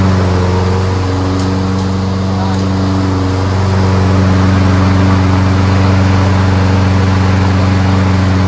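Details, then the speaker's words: Toro RWD Personal Pace self-propelled mower after replacing the broken drive cable: small single-cylinder engine holds a steady, even drone with a low hum underneath; running normally with the self-propel drive engaged. "there we go fixed that was like I don't know 10 minutes right"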